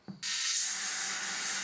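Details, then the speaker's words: Mid-1980s Murphy 2201ST CRT television powered up after years in storage: sudden constant high-pitched sizzle, no picture; flyback transformer leaking high voltage and arcing, likely plastic cracked with age. "e sounds of it if you have listen to this doesn't sound good at all so I going to whip the back back off and check see doesn't sound good s going on the back it's a bit it's a bit singy that"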